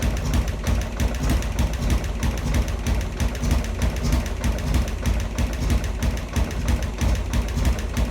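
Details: Harley Sportster converted to 1275cc with new Dynatek ignition module, early 30-second break-in run after cooldowns: loose uneven thumping about three beats a second with irregular gaps; rough idle.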